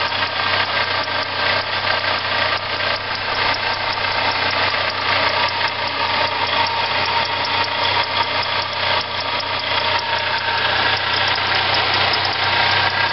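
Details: Engine at an even idle with a steady, airy whir with a light rough edge over it. Whirring noise blamed on a bad water pump.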